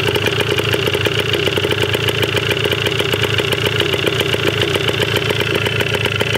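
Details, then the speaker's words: 1980 Yamaha DT/GT 125 Enduro two-stroke on its first start, with old fuel and seemingly low compression. A fast, crisp ring-ding popping holds a steady idle with no misses. It runs evenly, though the carb probably needs cleaning. "She's the runner. That's awesome."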